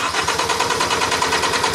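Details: 2010 Hyundai Sonata 2.4 with intermittent no-start and no trouble codes, tach moving during crank: fast steady starter chatter, about six beats a second, engine never catches; cranks but won't start, ignition coil control being tested.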